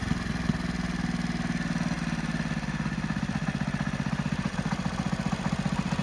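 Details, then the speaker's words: Hero Splendor Plus single-cylinder motorcycle at idle with a regular knocking clatter about four times a second over the exhaust beat; mechanic identifies it as a crank (bottom-end) sound rather than a weight sound. "तो guys जो सुन लिया वो sound उसका crank का है। अगर आपकी गाड़ी में ऐसा साउंड आए तो आपको समझ लेना चाहिए कि आपका इंजन का क्रैंक का साउंड है।"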